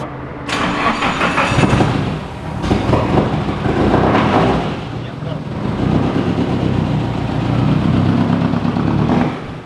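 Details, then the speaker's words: AE86 drift car engine: slow, laborious cranking that swells and sags without gaining speed, too little RPM to build oil pressure. The starter is short of current from small cables and battery; more juice to the starter is needed. "we're just going to try start it and hopefully we get all pressure like pretty much instantly otherwise I'm just going to kill it because we're not seeing enough RPM to actually get more pressure"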